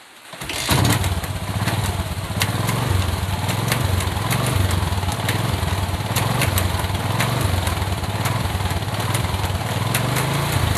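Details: Motorcycle front sprocket making sharp uneven ticking, about four clicks a second, with engine running; lubricating the dry shaft did not stop it, but flipping the sprocket to reverse its position cured the noise.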